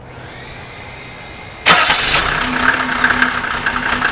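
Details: Mercedes OM603 diesel, cold start: quiet, then catches and settles into a lumpy, uneven clatter, rough cold running; smoke drops only with injector lines 2 and 6 cracked, glow plugs tested fine, still rough when warm; cause unconfirmed.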